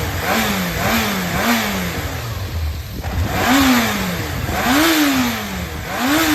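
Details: Running 4HM-type Yamaha XJR400 early-model engine assembly, compression measured, start-up check: inline four blipped in repeated clean rises and falls, no knocks or rattles, no abnormal noise; normal engine running.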